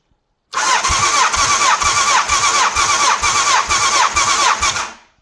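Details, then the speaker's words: 1989 Honda CBR1000F, abandoned over 10 years, cranking on cylinder 4 during compression test with carbs off; steady starter whine, even pulses about two per second, 160 PSI, compression healthy. "Again, 160 PSI, which says to me that that engine is in good health with regards to compression."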